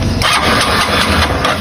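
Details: 160 motorcycle that would not electric start, tested by jumping the starter relay: starter catches immediately, single settles into quick, even idle with no hesitation or misfire.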